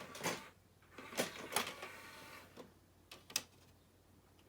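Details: 2001 Sony CMT-CP300 three-CD changer after a loading belt replacement: short whirs and crisp clicks as the trays and loader cycle; the noise is normal for these units, and its absence would mean a fault.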